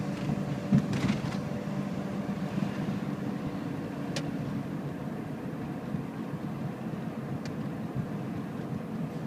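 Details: 2006 second-gen Toyota Prius, 180K miles: loud, uneven petrol engine drone with scattered sharp knocks, starting about 30 seconds after the engine starts from sitting; normal unless accelerating hard; owner hopes a valve adjustment fixes it.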